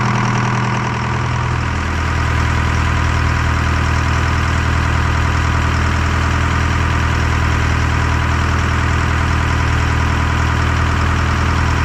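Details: Detroit 4-53T diesel, 7A77 injectors refitted after 9G90 failure, fuel system primed, loose suction hose clamp replaced; fires within about two seconds of cranking, then deep steady even drone, no miss or knock; normal idle.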